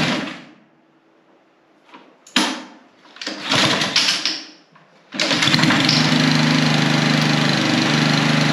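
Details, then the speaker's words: Husqvarna HU800AWD all-wheel-drive mower, sat about 3 years, on 3-year-old ethanol-free gas after spark plug cleaning, air filter cleaning and fresh oil: a couple of pulls and sputters, then catches and holds a steady, even run with no misses. "okay that sounds really good yeah i mean that all checks out it now runs"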